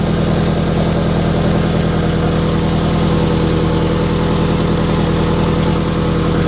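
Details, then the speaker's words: FRS with an unequal-length aftermarket header, idling: a sharp puffing tick rides on the exhaust note at every firing pulse; the exhaust leak, heard in the cabin, is at the header over-pipe gasket. "it doesn't sound all that bad but my wife drove it down the street and you could hear it it sounds awful we do have an unequal length aftermarket header on it with these the over pipe tends to leak a lot"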